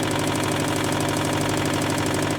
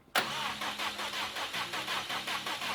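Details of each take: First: 2015 Subaru WRX STI, EJ257 turbo, before its first rebuild: rapid, sharp, regular deep metallic knocking through the idle from a worn rod bearing. Rod knock. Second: 2015 Subaru WRX STI, EJ257, after engine rebuild: gas pedal held to floor to cut fuel while cranking to build oil pressure. Steady cranking about three beats a second for five seconds, no firing. Cranking without starting.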